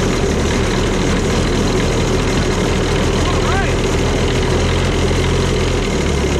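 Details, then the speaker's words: Cushman front-deck diesel mower bought as scrap (supposedly bad hydraulic pump), just started on a good battery after slow-warming glow plugs, fired right up: steady, even low diesel rumble, no misses or knocks; normal smooth idle. "right all right with the a good battery and uh it seemed like it took a long time for the glow plugs to warm up but maybe they weren't I don't know fired right up"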